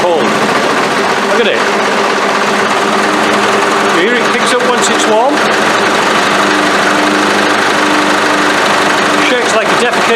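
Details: Isuzu 4BD1T diesel in a Land Rover Defender, cold start in a 19° shop: steady, busy clatter, slightly uneven and wavering. Owner says it always starts like this and ran fine once warm, before a compression test.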